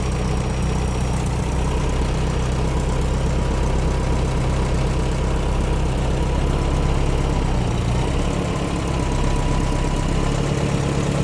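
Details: Air-cooled VW flat-four in a Baja Bug, a spare long block with a new top end, started after an oil change and valve adjustment: steady low rumble settling into an even idle with no valve ticking or knocking.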